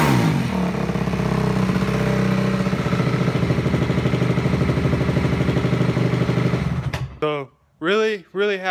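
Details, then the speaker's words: Honda CRF250 first run after reassembly, started without choke: low, steady single-cylinder thump at slow idle, even and smooth before cutting off; ticking heard is chain on rear axle, not engine. "that she's running again and running good and nice and smooth"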